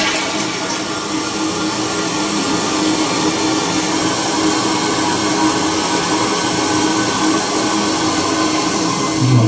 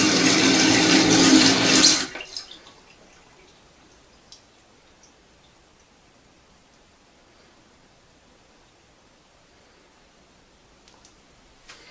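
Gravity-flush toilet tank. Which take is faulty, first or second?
first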